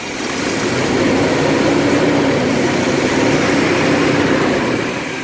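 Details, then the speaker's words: Vintage LH2 RV V8 idling after vacuum advance and timing were readjusted: a steady, even idle with a soft regular pulse, no longer cutting out or shaking. The owner thinks timing may have been the issue. The idle is now smooth. "it's sounding a little better it's not cutting like it was before it's awful noise sounded like one cylinder or was it firing right now the engines not it's not shaking and wiggling like a was good"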